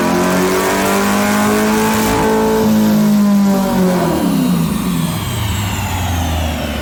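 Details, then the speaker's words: C8 Corvette Stingray V8 at wide-open throttle on a chassis dyno, fitted with headers and Lingenfelter/Corsa Extreme S axle-back, untuned ECU: strong, clean climb through the revs with no misses, knocks or rattles; healthy, just over 450 wheel horsepower versus 426 stock. "That sounded healthy. Yeah, we're good. It's like just over 450 wheel."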